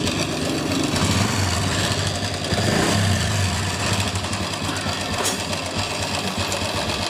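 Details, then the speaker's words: Honda Revo Absolute engine running: busy, uneven metallic rattle from the front of the engine; cam chain found slack and small sprocket worn. "ini suara berisik di mesin packing depan ya ini diperkirakan suara rantai keteng nanti kita cek lagi"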